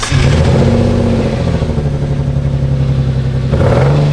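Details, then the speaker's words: Friend's drift car, engine running: uneven, lumpy idle with a stumbling beat and dips, sounding like it's missing two cylinders, strong smell; misfire, cause unclear, crank sensor and cylinders being checked. "It sounds like it's going on all cylinders. No, it sounds like it's on 4 cylinders. Nah, 2 actually. Oh, it's it missing 2."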